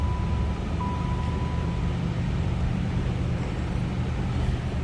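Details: 1990 Chevrolet Caprice Classic Brougham with 49,417 miles, same-family owned since new, started from the cabin: a low, even idle rumble with a steady warning chime early on; no ticks, knocks or stumbles, so the engine sounds healthy.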